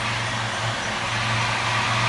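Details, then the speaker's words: 2001 Ford Mustang V6 with a failed throwout bearing: the engine runs with a rough whirring drone that fades and returns as the clutch pedal is pressed and released, heard well even from outside the car; worn throwout bearing. "you might be able to hear the problem I'm having when I push down. That's the throwout bearing. You actually hear it pretty well outside the car too. That's me pushing the clutch in and out."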